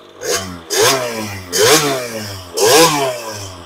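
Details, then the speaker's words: 2001 KTM 50SX two-stroke, upgraded carb with needle moved one position and air filter intake refitted: four sharp clean blips rising and falling crisply without bogging or smoke; runs best ever, seems well dialed, plug chop planned. "I'd have to say she's pretty dialed I'll probably have to Fresh plug it and pull it and we'll see what the plug's looking like"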